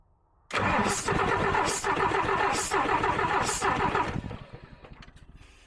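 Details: DAF XF diesel truck cranking steadily with uneven compression pulses but not starting, with number three injector fuel line blanked off; number three was found blowing combustion gas, and the injector was then pulled. Earlier faults: coolant pressure, kickback, cam/crank sync errors.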